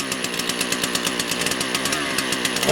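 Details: Motor Sich 270 chainsaw, cold start after replacing the ignition coil: a crisp, rapid, even buzz with steady firing pulses and no misses; the saw starts and runs cleanly, smoking somewhat.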